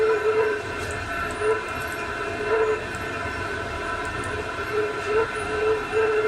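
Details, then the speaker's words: Chinese diesel heater turned down from level 10 to level five and then minimum via rotary controller, still warm; steady mid-pitched whistle with soft airy rush, no rattle or scraping; normal fan at reduced speed. "took about a minute I say perhaps a little bit less than that to get down to the speed associated with level five"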